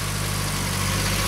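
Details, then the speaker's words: MG, finished and fine-tuned after parts replacement: steady, even low idle with no knocks, misses or rattles, the cam audible and a little throatiness developing; the engine runs smoothly. "I am so glad that little motor sounds all that you can hear the cam and now it's getting a little throat to it"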